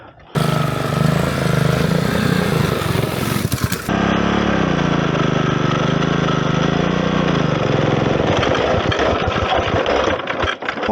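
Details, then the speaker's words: Go-kart small single engine with newly fitted manual clutch revs rough and unevenly, note sagging then stumbling into a choppy shudder near stall; clutch suspected overheated and sticking, not disengaging. "That sounds really bad. The whole thing jiggled."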